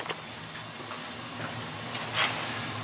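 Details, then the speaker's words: Slant/Fin Galaxy GXHA-160EDPZ steam boiler at one-year follow-up service with Hoffman 75 main vent, during a gas test; soft steady hiss, faint low hum, few light ticks; normal, quiet boiler operation. "it's a quiet system i'm going to go back into the border you can hear the boiler i'm doing a gas test [Applause] this boiler is quiet"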